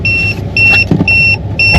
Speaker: All right. Well, we didn't make it too far on I 10 before our tire sensor went off. So, we're going to go out and check it. It's down to 69 right now. Very low.